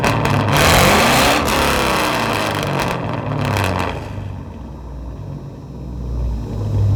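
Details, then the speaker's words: Pontiac Grand Prix GTP, high mileage, fully warmed up after a drive: clean quick revs falling back to smooth steady idle, no misses or knocks; healthy, though owner hears possible slight piston slap. "all right so yeah i mean it's pretty healthy for that many miles it runs pretty smooth and uh don't worry it's already warmed up i'm not cold revving this thing"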